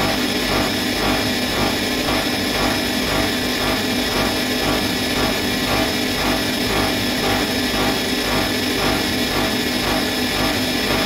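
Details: Bosch Maxx 6 washing machine after motor bearing replacement, drum bearings still good: fast spin with a loud rushing roar and a rhythmic swish about twice a second; drum noise at high speed, which the owner believes means the drum is broken.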